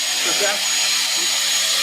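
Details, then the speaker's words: Two-stage Tesla turbine with plastic rotors in a sealed cryophorus system, spun by compressed air with the shaft disconnected: thin, steady high whistle over rushing air hiss. Suspected air-pressure oscillation; the source is uncertain. "making a whistle because of the oscillations in the air pressure, right? A Tesla valve would actually stop that whistle."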